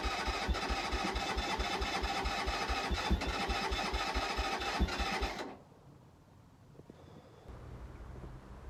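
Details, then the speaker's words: Keeway 125cc with Suzuki GN/GS engine, unstarted 18 months, new battery; steady starter cranking about two beats a second for five seconds, never catches; owner suspects air/choke setting or a dry carb, unsure. "the more I try and start it the more it's spluttering away so I think it is just air related or bit of playing with that choke not been started for 18 months so maybe the carb was dry"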